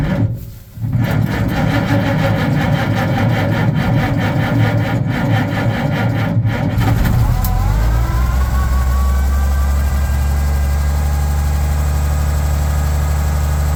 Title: Oliver 1650 hard start with a low battery.